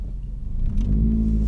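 Engine revving up with an uneven, stumbling low rumble and irregular beat instead of a smooth pull; sounds like a misfire.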